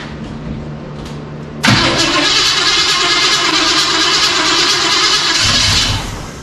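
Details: 1985 Chevy C10 with a 307 small block, Quadrajet carburetor and dual exhaust, started as-is with only the spark plug gaps fixed and a vacuum gauge on: loud, loping, stumbling idle; rough running, running rich.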